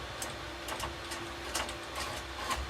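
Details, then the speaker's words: Yora 3018 CNC with 3036 expansion kit, during assembly: short irregular high-pitched squeaks and ticks as the axis moves by hand; suspected lead screw anti-backlash nut threaded in too far or misaligned. "yeah you can already hear the squeaking so this backlash not maybe in too far we'll see"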